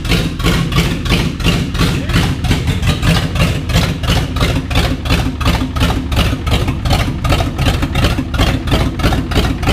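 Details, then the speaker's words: 1989 Ford 7.3 IDI diesel just restarted after fuel system work, heavy clatter at idle with a slightly uneven, loping beat around three a second; running rough, likely air still in the fuel system. "it sounds like there still air in the system"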